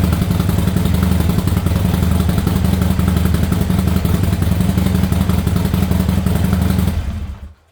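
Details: Harley Sportster V-twin after new Quantum EFI fuel pump and Screaming Eagle plug wires: lumpy, even potato-potato idle with no misses or mechanical clatter, then a clean shut-off; engine healthy.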